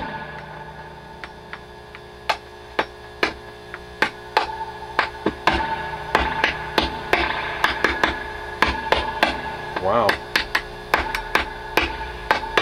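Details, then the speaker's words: Dr Z Maz 38 Senior guitar amp with reverb feeding back and squealing at higher levels: tapping the board sets off sharp cracks and ringing through the speaker; microphonic, noisy board, possibly a poor ground connection. "board itself is making all kinds of noises hmm that's interesting"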